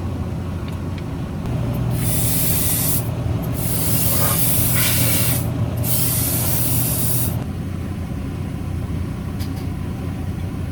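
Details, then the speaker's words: Truck's compressed-air line with newly bought gun fitting: loud steady hiss swelling for several seconds over low truck rumble, then cutting off; air escaping from the leaking gun connection. "Ja go też muszę odpinać, bo syczy z kolei jest niszczelny."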